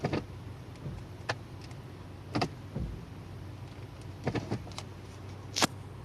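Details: Automatic transmission checked for shift shock when moving the selector into D and R: a quiet idle broken by several sharp, irregular clunks. Harsh engagement noise from the gearbox.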